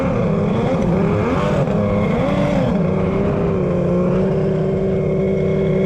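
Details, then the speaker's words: Kawasaki 1100 triple X2 jet ski with a custom cylinder head, tight squish and a worn crankshaft, running very hot: the drone sags as revs drop and nearly stalls before recovering. The owner suspects a loose connection or leaking domes. "oh my God it's kind of almost just shutting off"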